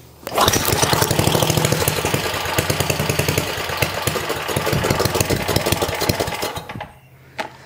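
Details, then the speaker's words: 1972 John Deere 56 mower with a swapped single-cylinder engine, started with choke and ether: it settles into a quick, steady, even putter with no misses before shutoff; a healthy idle. "that's the best that sounded that idle in a while holy cow"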